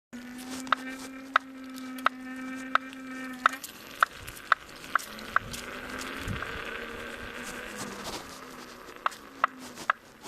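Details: Kingsong S22 electric unicycle, second (new) hub motor: sharp regular clicks about every two-thirds of a second over a faint motor hum; knocking from the new motor, cause unclear.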